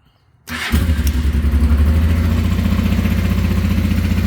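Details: 1989 Honda Transalp 600V ice-cold morning start on choke in neutral: brief crank, catches at once and settles into an even, steady low throb; normal cold start.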